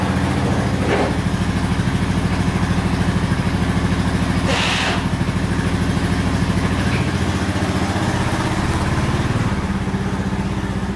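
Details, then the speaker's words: 1999 Honda Foreman 450 4x4 ATV with plow and winch, revived after sitting about 10 years: steady, even single-cylinder thump at fast idle, unbroken, no smoke out the back; running perfect, normal running. "all right running perfect no smoke out the back running great"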